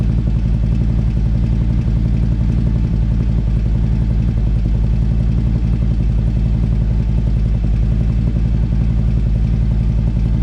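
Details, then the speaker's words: Harley-Davidson CVO bagger V-twin at idle: fast, steady clicking about three to four a second over a deep idle, same as heard riding; electronic stethoscope rules out exhaust, cause not yet pinned down. "So I went around with the stethoscope with, I thought it was going to be the exhaust, but it's not coming from there."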